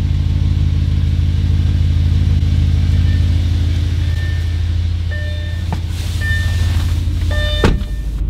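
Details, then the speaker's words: Audi B7 RS4 V8 with an intake manifold flap delete, TC light issue: deep idle with a slight uneven lope that settles after the second rpm drop; the lumpy idle is attributed to the flap delete. "so the slightly lumpy idle is mostly from the flap delete"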